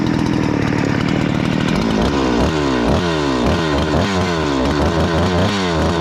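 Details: Husqvarna 288XP chainsaw, owner-rebuilt with new cylinder, piston and swapped crankcase, adjustment screw wound in, running dangerously lean: high screaming revs sweeping up and down with no four-stroking burble, risking scored cylinder.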